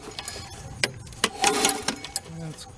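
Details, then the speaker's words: Sears Craftsman 22" 650 Series self-propelled mower, model 917.376241, stored a year, turned over by hand: irregular sharp metallic clangs a few times per turn with good compression; blade hitting a loose deck cover, fixed by tightening it. "there's something clanging in here when i turn the engine but it's got compression so i got to figure that out first it acts like the blade is hitting something"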